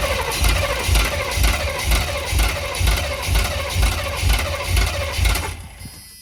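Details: 1990s Chevy 350 5.7 V8 campervan: starter turns it over in even pulses about two a second for five seconds, never fires; crank no start.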